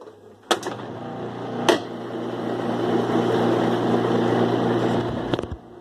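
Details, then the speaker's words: 2005 Kenmore 70 Series direct-drive washer after drain pump replaced/cleaned to cure strange noise during wash and spin: steady even hum through high spin, a few isolated clicks, no grinding or rattle; pump running normally, owner still suspects a coupler noise. "ya quedó bien la bomba pero voy a poner Spin Low"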